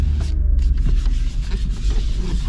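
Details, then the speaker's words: 2003 Mercedes CLK 430 V8 with 162,610 miles and a new belt: steady, even low rumble with no knocks, misses or ticks; smooth normal idle. "at night time you can see it but yeah smooth idle AC works turn that on"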